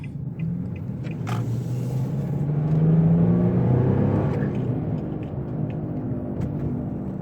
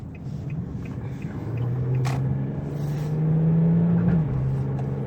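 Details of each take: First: Infiniti G35, driving: a low droning hum under the road noise swells during a right turn and is quiet turning the other way. It points to a worn driver's-side wheel bearing. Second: Infiniti G35 after replacing driver-side wheel bearing for humming/roaring noise: smooth low rumble easing as the car coasts off the gas, no growl or roar rising with speed; bearings now quiet.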